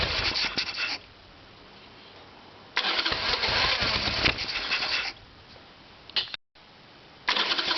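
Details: Harley-Davidson Evolution Sportster: repeated fast starter cranking with pauses, and it never catches. Cranks but no start; the problem was later found to be the carburetor.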